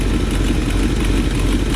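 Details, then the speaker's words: 1966 Pontiac LeMans idling with a deep, lumpy rumble and a rapid puffing tick from an exhaust leak at the paper exhaust manifold gaskets. "We got an exhaust leak. It's paper gaskets over here."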